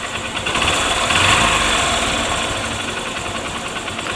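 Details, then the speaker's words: Honda Shine single-cylinder after timing chain tensioner fix, previously intermittent tick-tick chain noise despite new timing chain: even steady idle with light regular beat, no rattle; noise now gone, normal idle. "अ थे cutter Patel जैसे जो आवाज था किसी time जाहिर करता था किसी टाइम नहीं वह चीज है अब आवाज बंद हो चुकी है"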